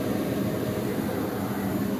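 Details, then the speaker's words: Goodman furnace light-off: steady, even rushing roar with no pops or bangs, previous popping gone; furnace starting up cleanly. "There's the startup. I don't hear that thing popping anymore, so I think it's good."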